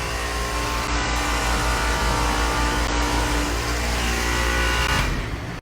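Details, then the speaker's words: 2.5-ton residential AC condensing unit compressor, other components checked and working: loud, steady, rough roar with coarse rattling hum that never eases while running; failing compressor, to be replaced. "So that's the noise that the compressor was making. It was pretty loud. So I knew there and then that something was wrong with the compressor."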